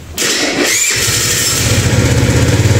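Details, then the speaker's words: Quick crank, then an even, steady putter with no knocks or rattles on a Kuba Valentino 50cc scooter, starting first try after engine repair for strange internal noises and a top speed that had dropped to 50-60 km/h. "ne ses var ne Seda var çiçek gibi Tek marşta çalıştı gördünüz mü"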